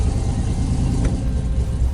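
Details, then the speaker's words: 1965 Ford F100 pickup after shop work, electric fans replacing mechanical fan: deep, even idle rumble with no stumbling or hunting; no longer hangs when throttle released, good oil pressure and voltage; running healthy, rear brakes still leaking. "so it's idling well. I still need to fix the rear brakes because they're still leaking, but front brakes are more important anyway. But it's running healthy."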